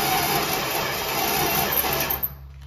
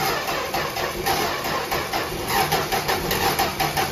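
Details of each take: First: 1964 Dodge Dart wagon, 170 slant six, push-button automatic, parked outside over 25 years: engine cranks sluggishly with a labored, uneven whir for about two seconds and doesn't fire despite spark and fuel sprayed in; lack of fuel suspected. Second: 1964 Dodge Dart wagon, 170 slant six, parked over 25 years, first start and apparently no muffler: loud, steady, unmuffled idle with an even beat, no rattles or misses, seemingly firing on all cylinders; sounds good.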